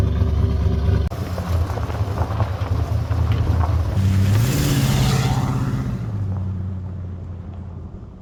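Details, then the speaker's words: Ford 351W V8 after new bigger cam and pushrod install, running once distributor cap was corrected for the number 1 rotor position: deep, even rumble with a steady lope, one smooth rev settling back; purrs like a kitten, normal healthy idle. "But anyway, so this thing purrs like a kitten. I like the rumble. I hope you can hear that. It's actually got a decent little rumble to it."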